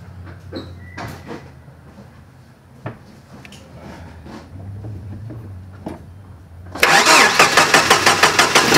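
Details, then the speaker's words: Hard-starting old Jeep, jump-started from a portable jump-starter pack: short quiet lead-in, cranks fast and catches at once, settling into firm even running pulses; quick, clean start. "but as you can hear the old jeep is running wow"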